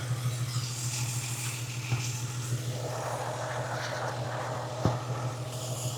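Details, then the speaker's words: Jeep XJ with a P0304 cylinder 4 misfire, idling: a constant airy hiss over a steady idle from a torn exhaust manifold gasket, found before replacing the gasket. "And I don't know if you can hear that hissing. It's hissing pretty bad, right? So it's hissing."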